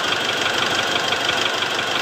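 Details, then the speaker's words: Mitsubishi Triton diesel at idle with an injector connector unplugged: steady knocking in time with the engine remains at about 50% of original level, so injector is likely not the cause; engine knock source still unknown. "Sekarang, saya sudah mencabut soket untuk injektor itu. Suara ketukan itu masih ada, sekitar 50% dari suara aslinya."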